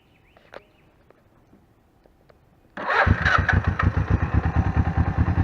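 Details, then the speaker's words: 1981 Suzuki GS motorcycle, under 4,000 miles, after carb rebuild, fuel system flush, new filters and plugs; warm start (carbs had been rusty, hard to start): starter catches at once, steady even putter, idles well. "here's the startup the carbs were very rusty and it was really hard to start but I eventually got it startled that since it's warm right now"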